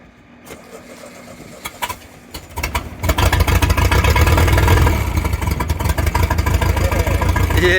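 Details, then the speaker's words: Caravelle boat engine, cold start after sitting since last summer, with reverse cable adjusted and fuel primer bulb primed. A few cranking bursts, then it catches and settles into a steady, even low rumble; runs normally. "it does sound pretty good that's 100 cold start from sitting for years well since last summer"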